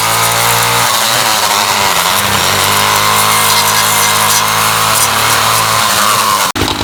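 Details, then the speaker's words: Ryobi 705r 31cc two-stroke line trimmer, trimmer head back on after it broke during 10–15 minutes of brush-cutter use; it revs high and free with an uneven rise and fall and a rattle, the head not turning from a broken drive cable. "listen closely hopefully we're able to hear that kind of rattle kind of li"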